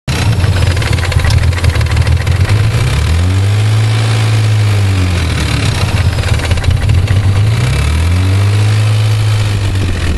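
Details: 1991 Nissan 300ZX petrol engine running with a fast, light ticking over its deep hum and a couple of brief revs; owner says it's abnormal since his brother's 300ZX doesn't tick, cause unknown.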